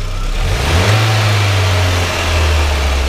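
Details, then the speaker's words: Citi Golf 1.4i, after replacing the MAP sensor for high, sticking idle speed (throttle body and old sensor cleaning didn't help): revs climb smoothly then settle to a steady, even idle without hunting; fixed. "okay it comes back down to its idling so the main pulse was the map sensor i replaced it"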